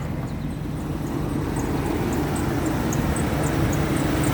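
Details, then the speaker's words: 2002 Toyota Sequoia 4.7 i-Force V8 just started, idling: steady rumble with faint quick high-pitched chirps from the fan belt; engine otherwise healthy with no knocking. "No, that's just a fan belt. I'm not bothered about that."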